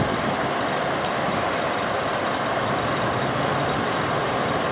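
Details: Exhaust fan after replacing 0.25 HP motor, belt 3L340, first run, amp draw at upper end near 5.4 A service factor: steady air rush over smooth motor hum, no squeal or belt slap; normal running.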